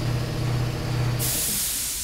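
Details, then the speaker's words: Flooded 2010 BMW 328xi that won't start, leak-down test: steady rush of air with a sharper hiss midway as test air escapes through the exhaust; exhaust valve suspected broken or leaking at seats. "cayó buenos coches es definitivamente la válvula de escape estará rota tendrá más los asientos algo está pasando pero la compresión se está yendo por el barbo de escape o las válvulas de escape"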